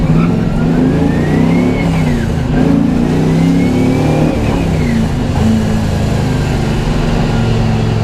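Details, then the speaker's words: LS1-swapped Nissan S13 drift car, full throttle in second gear: engine revs climb hard and freely with no load change, car barely moves, clutch smell; clutch slip. "To the floor in second gear, and it just doesn't want to move at all. Oh, the smell of clutch, my favorite."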